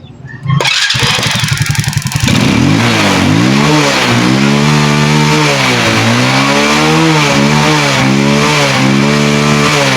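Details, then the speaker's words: Rusi Kraken motorcycle that backfired and wouldn't start, after cutting back rusty, wet high-tension wire and rusted plug cap: catches on one click and revs up and down cleanly with no backfire; normal start and revving. "So ang nakita ko bumibirit naman at one click naman."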